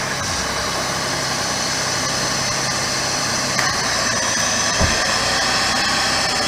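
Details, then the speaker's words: 2006 Jeep Grand Cherokee V6 just after water pump replacement, first start before coolant air bubble bled: even idle with steady hiss over engine hum, no squeal or grinding, noticeably quieter than before the change; no leaks seen. "oh it sounds a lot quieter than it did before we changed it"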